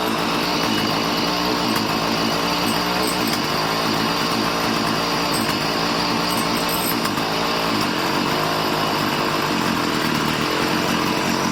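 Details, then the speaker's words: Warm two-stroke weed eater that bogged down from being out of tune, during carburetor adjustment: steady, even buzz with no stumbling or surging, now smooth. "how it's better wow it's nice and smooth"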